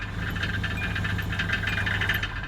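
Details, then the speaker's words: Car in very poor condition, shaking, slow to accelerate, no power steering, driving at speed: low drone with a loose, tinny rattle buzzing underneath from a failing catalytic converter. "catalytic converter is going out too now this may have been a luxury car at some point in time but now it is a junker"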